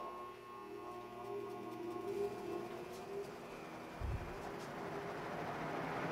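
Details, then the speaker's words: Restored 1956 Western Auto Wizard Rol Aire fan, model 6J3605-A, 2-speed, after cleaning and new cord, on high: steady, even motor hum with smooth airy whoosh, no ticking, rubbing or rattle; quietest it has ever run. "That's it. This is the quietest this fan has ever ran. It's completely clean now."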